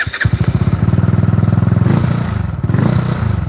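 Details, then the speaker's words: Benelli 135 motorcycle engine started and idling with a quick, uneven clattery rattle over its steady thump; source unclear, possibly engine, after loose bolts were tightened. "Can you guys hear the rattling sound? That's the noise that it's making."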